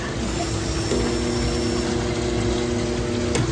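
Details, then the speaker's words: Pitco fryer auto-filter pump tried to run and tripped its breaker: steady loud electrical hum with no spin-up; pump motor is locked up, something suspected in the impeller; seized filter pump. "nope so that pump just tried to pump fire and it couldn't and it tripped its breaker the uh the pump's locked up"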